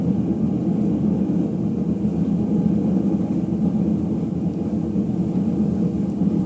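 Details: Ipso HF 65 commercial washer in final spin: deep, heavy rumble holding steady with no clean tone underneath, from worn drum bearings.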